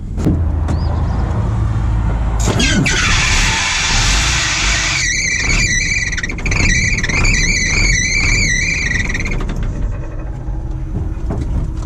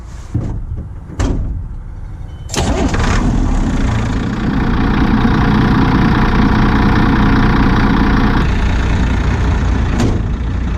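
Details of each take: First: 1987 Ford F800 dump truck, driving: sudden loud belt squeal, high-pitched and wavering, pulsing unevenly over the engine; engine nearly stalled off throttle, rattle that morning. Seized fan bearing on the fan/alternator belt set; belts removed, fan bearings replaced. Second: 1987 Ford F800 dump truck diesel started and running with the belts removed after a seized accessory caused heavy belt squeal and a stall; cranks, fires and settles into an even idle without squeal; owner plans to replace bad fan bearings.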